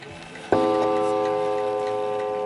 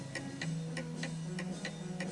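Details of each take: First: Antique 1920 Napoleon-hat mantel clock, calibrated and set to strike at 11 o'clock: clear bell strikes about every three seconds, each ringing out evenly; the strike train works properly. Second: 1920 antique Napoleon hat mantel clock set tilted to the right on an uneven surface ticks at about two beats a second with uneven alternate beats, more tick than tock; out of beat and will eventually stop.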